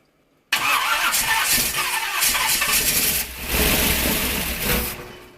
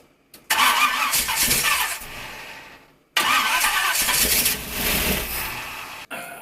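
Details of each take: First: 1951 Dodge Wayfarer lead sled with big-block Chevy engine, first start after sitting a few years: catches at once, loud even roar about five seconds before dying off. Normal start after long storage. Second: 1951 Dodge Wayfarer lead sled with big-block Chevy V8, sat a few years: two short crank-and-fire bursts dying within seconds on fuel poured from a gas can; no fuel in the sight glass, fuel starvation.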